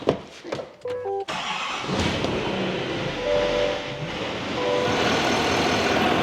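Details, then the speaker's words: Rebuilt crashed Chevrolet 2500HD ZR2 Duramax diesel, cold start after repairs with new coolant system: brief crank then steady even quiet idle, no knocks or rattles; healthy engine, much quieter than before. "Sounds good. Watch your fingers. It's quiet. Remember how loud it was before?"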